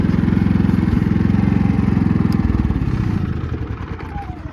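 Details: Predator 3500 generator, about 215–230 hours, running again after it ran out of gas following 11 hours of running and the owner feared a locked piston; steady low thrum with an even beat, then easing off as it is shut down; running normally.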